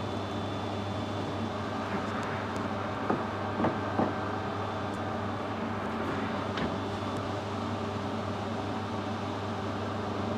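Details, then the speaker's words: Milling machine cutting an 8 mm keyway slot: steady hum with a thin high ringing through the cut and a few sharp knocks; cutter chatter, countered by changing speed or feeding harder. "you hear that chat room there what you've got to do with between your partner office if it starts to challenge a change the speed i just feed it in harder"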